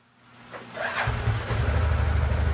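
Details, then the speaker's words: Normal start and idle on a Kymco after the fuel pump was replaced again and the in-tank fuel line section was swapped for submersible fuel line: brief crank, fires at once, steady even idle with no sputter. "and it's still idle okay this time I think it's fixed"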